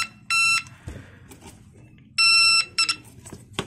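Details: Homemade 9-volt continuity buzzer tester, a multitester alternative in use since about 2013 that draws very little current and is safe for testing LEDs. It gives two clean, steady high-pitched beeps of about a third of a second each. The buzzer works normally.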